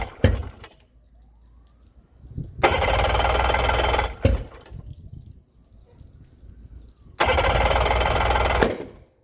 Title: Yamaha 90 crank no start after CDI swapp